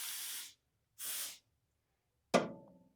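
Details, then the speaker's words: 1977 AMC Matador that acts out of gas despite three gallons added: air blown back through the fuel line to the tank gives a straight airy hiss with no bubbling; owner suspects a broken tank pickup tube. "So, sounds like straight air. Why doesn't it sound like bubbling?"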